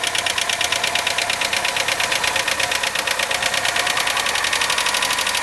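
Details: 2001 Opel Astra Station (Vauxhall/Holden) 1.6L petrol at idle: fast even sharp ticking from hydraulic lifters; fixed by replacing the lifters and oil.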